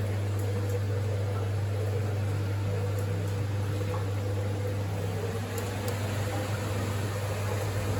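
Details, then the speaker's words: Winterhalter GS502 dishwasher after rinse pump stops, boiler refilling with cold water, boiler temperature dropping while tank temperature rises: steady low hum with soft water rush, no knocks; normal fill and heat cycle. "Yeah, you can hear water coming here. So obviously temperature will go down because cold water coming in."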